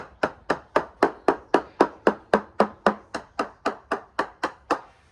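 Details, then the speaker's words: Freedom 35 yacht balsa-cored hull, hammer percussion test in line with the mast: crisp, even taps about four per second, same bright note with no dull spots; laminate and core sound. "And what you're going to listen for is a very crisp sounding uniform return. So there's very little variation in the sound we're getting and the return we're getting, which shows me that the laminate is good, but also the core material inside is also good."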